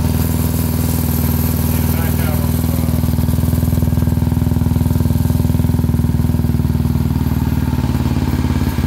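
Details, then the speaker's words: Tillotson 225 racing engine, a Honda clone, swapped into a 2003 Honda 919 street bike: steady, even, deep throaty thumping at about four beats a second with no misses or knocks, running healthy. "Oh, it sounds so cool."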